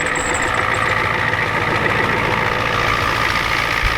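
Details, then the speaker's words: Ford F-250/F-350 7.3L diesel with a bad water pump: starts easily, then steady, even diesel clatter at idle with no misses, knocks or surging; normal idle, not smoking. "There you go, guys. Fire right up. Ran like a new one."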